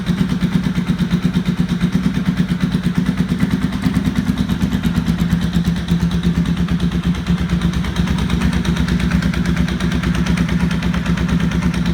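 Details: 1992 Honda VFR750 at a lumpy idle and revs: a sharp, fast ticking knock that follows engine speed. It is an exhaust leak at the front cylinder header, with two header bolts missing and pieces of the casing sheared away.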